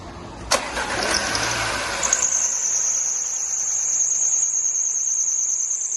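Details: Audi A6 on cold start: engine cranks and catches, then a thin, steady high-pitched squeal rides over the idle from a worn auxiliary belt tensioner, before the tensioner was replaced.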